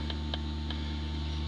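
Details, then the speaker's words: 2005 Dodge Grand Caravan with ABS light and pump motor circuit failure code, after repair, pump commanded on via scanner functional test: steady low electric hum with faint ticks; pump motor now running, about 9.95 V reference. "Let's go back to functional tests. Pump motor. Turn it on. Oh, I hear it running."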